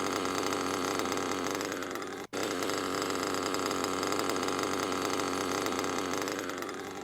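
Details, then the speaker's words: Nitro RC car engine idling with a harsh, raspy grinding rattle, a second sound over the normal idle, almost like the drivetrain turning though it isn't; worn rear crankshaft bearing that needs replacing, noise will keep getting louder if left. "so when you hear that you know that your rear bearing is toast and you need to change it"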